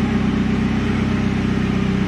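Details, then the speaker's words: Commer 2.3 turbo campervan after a DIY in-tank EFI fuel pump install, idling: smooth, even low hum, the pump now silent with no whine; normal idle. "it's mad to think the pump is right in front of you that is silent here now is the fan actually this is what it sounds like now"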